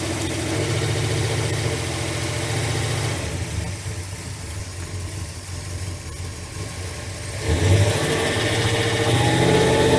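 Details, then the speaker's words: Carbureted truck idling during a plug-wire pull test; pulling one wire barely changes the lumpy idle of roughly three to four beats a second, so owner believes that cylinder is dead; dead cylinder misfire. "let me try this other one here I think it's okay this in here I believe is dead though"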